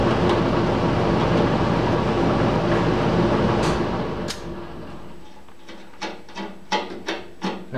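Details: Old squirrel cage blower after worn belt replaced with new belt, tensioned to about an inch of deflection: steady, even whoosh for four seconds, then winds down into scattered clicks; belt drive sounds healthy.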